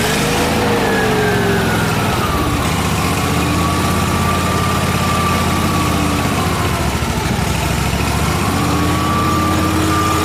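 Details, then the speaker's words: Miller Trailblazer welder engine with a reportedly rebuilt carburetor and a crankcase-vacuum-operated fuel pump: speed hunts up and down with no steady idle. It runs lean, fine when choked; a vacuum leak or fuel delivery issue is suspected, and a vacuum line was found detached. "I think it has a vacuum leak between the carburetor and the and the engine because it's just getting too much air"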